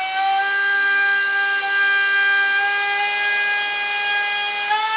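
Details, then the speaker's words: SunnySky 2207 2100kv brushless motor on 6S at full throttle with cheap soft Chinese props: loud, steady high-pitched whine stepping up near the end, props flaring and resonating; owner's best guess is the soft props reached their limit, not confirmed. "Well, as you heard those props, they were kind of flaring like resonating because these are these are the cheap Chinese ones and they are soft as hell. So my best guess that noise was basically the prop way reached his limit and went over."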